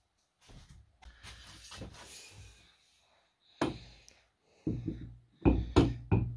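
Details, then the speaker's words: Baldwin Model E piano soundboard with hairline cracks: hand taps near a crack give short dull knocks with a loose, buzzy rattle; the board has come off the rim on either side of the crack, weak glue. "so the sound boards come off the rim on either side of the crack"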